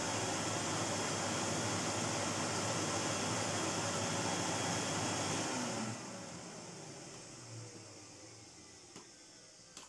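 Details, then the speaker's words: Unidentified European cylinder vacuum (Kelner 1400, possibly Zelmer-made, guessed mid-to-late 1980s): steady high motor roar with a faint regular tick, two or three a second, brushes ticking on the commutator as it runs down; slight ozone smell, owner fears motor partially burnt out. "there's a distinct tick there i have a horrible feeling that the motor might be partially burnt out because there's a slight ozone smell and there's a real tick you can hear the brushes ticking on the commutator when the motion runs down"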